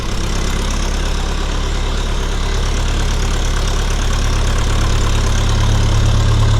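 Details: 1952 Massey Ferguson TEA20 tractor after restoration and engine rebuild, 12V alternator, new battery, distributor cap, coil and hoses: steady, even low chug at idle with no misses or knocks; old four-cylinder running smooth, normal idle.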